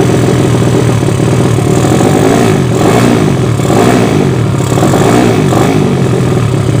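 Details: Yamaha Vega ZR with swapped Mio cylinder, 200cc, 66mm piston, standard stroke, Tiger cam, open exhaust, test run after long storage: loud, uneven, slightly hunting beat with rev swells; rough running while carburettor is not yet set and running lean.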